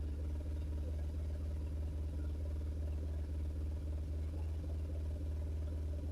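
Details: BMW R1150RT boxer twin, first run after clutch and starter motor strip-down rebuild, tank not yet fully refitted: steady low even thrum with soft regular pulse, no knocks or misses; sounded all right.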